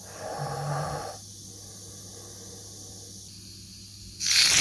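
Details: Bleeding a home radiator after flush, system repressurised from half a bar to one bar: quiet, then a sharp half-second burst of hissing near the end; trapped air escaping through the bleed valve.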